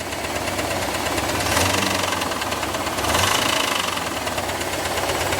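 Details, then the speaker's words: IROC Camaro V8, stethoscope on the lower engine block: a deep, pronounced knock that grows louder and sloppier with each blip of the throttle. The valve-cover tick only gets faster, not louder. Cause suspected, not confirmed. "Now, listen down here for the engine block. The louder tick, right? More pronounced."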